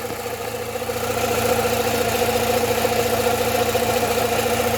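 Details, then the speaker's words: Rover 45 Impression S3 with CVT, after a gearbox fluid change: steady light tapping three to four times a second at idle, located near cylinders three and four, not the gearbox or alternator bearing. Oil starvation or a blocked pickup is suspected. Internal ticking at idle. "an oil flush that noise could be due to starvation for all we know the oil pickup tube could be blocked and it's causing oil starvation across that engine and that is definitely a sound coming from the region of cylinders three and four"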